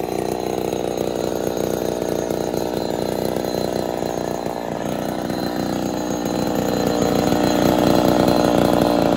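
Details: Ported Poulan 245A chainsaw with bow bar, first start, not yet at full temperature: raspy wavering and stuttering, then revs higher and screams; a little lean, low jet/idle may starve and stall, needs tuning under load.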